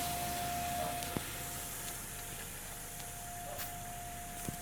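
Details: 2002 Ford Escape: steady mid-pitched hum holding one pitch over road rumble, appearing after driving for some time; persistent humming, source not pinned down.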